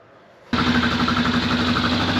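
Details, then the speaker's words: 1995 Yamaha Kodiak 400 4x4 ATV, started first pull while being fixed up: engine catches abruptly, settles into a steady even idle with no misses or knocks; four-wheel drive checked working; normal idle after start. "know, decided to start it up. It actually started first pull, so, and I always wanted to make sure that the four-wheel drive works, so four-wheel drive is working well."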